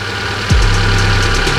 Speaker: normal ya artinya sudah bagus nanti semakin panas semakin normal